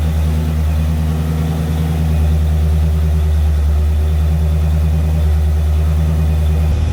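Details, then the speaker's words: Rebuilt barn-find Mopar 340 V8 on engine dyno during second 10-minute cam break-in run after cooldown: deep steady even drone, no knocks or rocker/lifter ticking. Normal running. "So, we did the breakin. I hope it went well. I don't hear no rocker or lifting noises."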